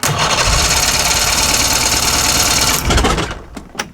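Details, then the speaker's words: 63-year-old boat, ignition being repaired, fuel leaking from carb: fast steady cranking about three seconds with no catch, seeming to spark at the end; turns over but won't start, ignition fault suspected. "That sounded like it sparked at the end. Did you hear it? It's like, no. Like wanted to go."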